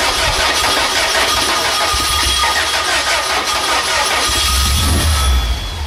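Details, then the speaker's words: VW engine on gasoline vapor feed after adjusting valves: catches and settles into steady even running with no misses or stumbles. "Sure. I just simply ran it off the vaporized part of the gas, not the gas itself. Essentially, I'm pulling in air through here."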